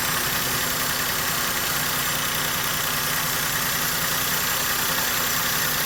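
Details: Maruti Suzuki K-series engine at idle with a misfire, causing mileage drop, pickup loss and vibration. Uneven, stumbling beat under a lot of hiss. The fix shown is replacing the ignition coil and spark plug.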